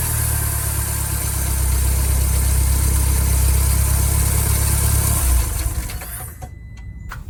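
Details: 2nd-gen Mini Cooper, drive belt system check: engine turns over evenly with a steady low drone and no squeal or slap, then shuts off, run with the friction wheel disengaged and locked; normal sounds, and the noise was traced to a belt missing chunks.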